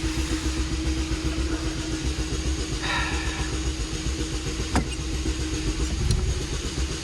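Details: 2004 Chevrolet Malibu Classic right after a new ignition module: low, lumpy idle with an uneven beat and the odd stumble; still running rough, likely misfiring, followed by a check engine light with the same code.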